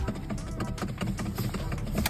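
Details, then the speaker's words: 2012 Mercedes GLK 350: quick uneven light clicks from the steering column as the wheel turns, because the electronic steering lock (ESL) was disconnected but left in place and its bolt is not fully disengaged. "we decided to just disconnect the ESL and not remove it in the column in the steering column and as a result to that the uh ESL is not fully disengaged"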